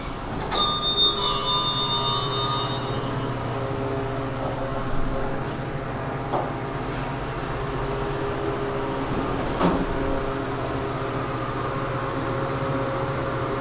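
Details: KONE hydraulic elevator, 2500 lb capacity, 5 stops, recorded during a ride: a steady low hum and airy whoosh with occasional clunks; the cab fan runs noisily, cause not identified.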